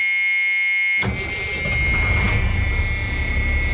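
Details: Bus 23 diesel started with no air in the system after air-seat trouble: a steady electric buzz, then the engine cranks, catches at one second and idles while air builds. Consistent with the low-air warning buzzer; cause suspected, not confirmed.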